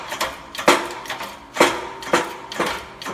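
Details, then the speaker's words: New front wheel bearing being press-fit into the knuckle of a 2001-2002 Ford Escape, done to cure a humming, roaring bearing noise. Sharp pops about once a second, no squeal or grinding, as it goes in straight: a normal press fit. "Again, perfectly normal. This is what you want to hear. It's going through straight, and it's popping."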